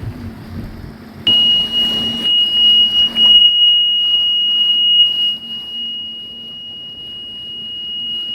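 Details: Sea-Doo RXT personal watercraft on water test, oil level checked full and pressure verified correct with a gauge; owner suspects the sensor: high-pitched warning tone holds over engine and wind noise; oil pressure warning beeps, cause unconfirmed.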